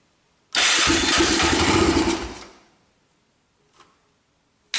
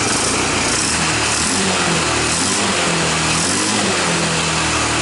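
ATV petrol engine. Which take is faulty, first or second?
first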